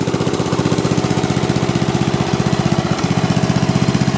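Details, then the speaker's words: Snapper rear-engine rider, 12 hp Briggs & Stratton single-cylinder, still burning a little oil: steady quick putter with an occasional skipped beat, running rough; intermittent misfire, owner suspects spark problem and wrong magneto. "it was running pretty rough it sounds like uh it sounds like a spark problem still"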